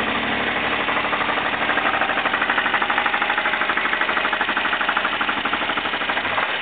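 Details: Jeep engine at idle: hard, rapid jackhammer-like knocking about three per second; four main bearings were found shot, engine replaced with a long block.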